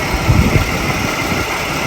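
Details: 1996 Jaguar XJ 3.2 at idle: uneven lumpy idle with heavy stumbles, a slight misfire. Thermal imaging shows one ignition coil cooler (38–39 versus 44–48 on the others), so that failing coil is suspected.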